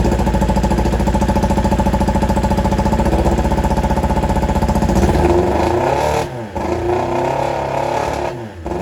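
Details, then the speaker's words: 1995 Kawasaki ZX7 first run after a water-contaminated engine was flushed with transmission fluid, muffler removed; loud, unsilenced, lumpy, uneven idle with ragged throttle blips; running rough and untuned. "As you guys can hear, it is not sounding amazing."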